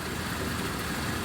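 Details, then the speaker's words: 1973 Rolls-Royce Corniche barn find, idling after RR363 hydraulic fluid: smooth even idle, steady low hum, no misses, knocks or ticks; idling great. "look at it thing is idling great some fresh gas a little carburetor cleaner this thing will C like a kitten and that's what makes these cars"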